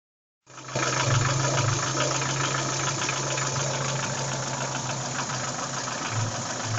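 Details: Daewoo Nexia 16-valve, steady idle with a fast, fairly regular knock about three a second. Connecting rod and piston knock, cured by replacing the connecting rod and piston group.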